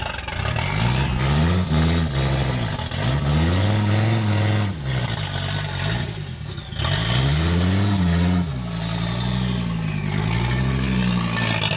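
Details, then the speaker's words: 1986 Audi 5000 S turbo, previously non-running, started on brake clean with cold start injector not firing and intercoolers zip-tied on; revs up and settles in repeated blips but sounds flat and lazy, seemingly down on boost, cause unconfirmed. "it sounds like it has so much potential to be rowdy but it's so not rowdy"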